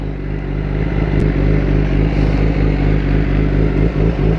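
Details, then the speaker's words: Kawasaki ZX10-R idling in neutral: low, lumpy idle that wavers and sags as if about to stall; owner unsure why RPMs drop so low, possibly by design. "this bike, the RPMs drop so low when I go in neutral and just sit there idling. Like, it sounds like it's gonna stall out or something, and I don't know why."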